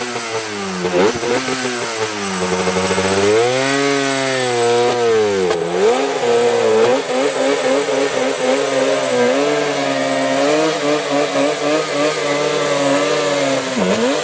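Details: Banshee two-stroke after cleaning a plugged carburetor; it used to run, then die, leak fuel and not restart. Now a crisp buzz climbs and falls with each throttle blip, then holds a steady raspy run. Fuel delivery is sorted and it runs properly.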